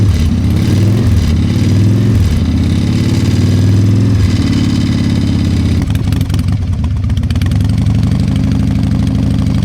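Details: Harley-Davidson Fat Boy Evo 1340 V-twin after winter storage, carburetor cleaned and jump-started: deep, loping uneven-fire potato-potato beat at a slow steady idle, no knocks or ticks; healthy idle.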